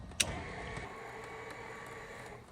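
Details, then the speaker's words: Trinidad TB20 grounded 15 years, main switch on with three green gear lights, flaps run to the 10° takeoff setting. After a switch click there is a quiet, steady electric motor hum for about 2 s with no grinding or stutter, so the flap motor is healthy. "Ooh, we have 10°. Oh, we got 10°."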